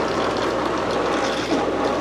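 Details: Old Fluval FX5 canister aquarium filter before cleaning: loud, steady gurgling rattle with a hiss throughout, no rhythm; air drawn in past a cracked canister gasket.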